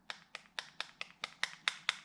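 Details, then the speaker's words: Jet ski X2 two-stroke engine rebuild: sharp, light metallic ticks about four a second from a reed petal slapping the reed cage because it is installed the wrong way. Flipping it so it is preloaded against the cage stops the noise. "can hear that sound that's the read pedal hitting the read cage when I turn it around this way it is now slightly preloaded against the read cage and it doesn't make that noise"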